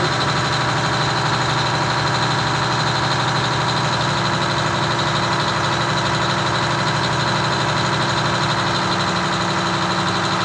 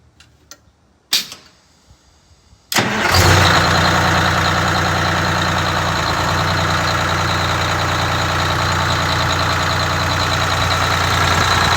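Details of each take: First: Detroit Diesel 6V92TA two-stroke in a Wanderlodge RV bus: steady drone with busy firing beat, idling far too high (about 750 rpm guessed) before the idle is backed off to about 600 rpm. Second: Rebuilt Detroit Diesel 6V92TA in a Wanderlodge bus after idle adjustment (minimum recommended 500, set closer to 600), air leaks audible: quick start, then a steady, even, low two-stroke diesel drone. Normal idle.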